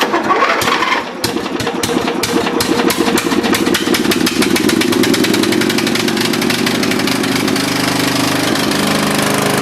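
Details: Dynamark riding mower after carburetor cleaning: quick cranking clicks, then it catches and settles into a steady, even putter with no misses; clean start and healthy idle.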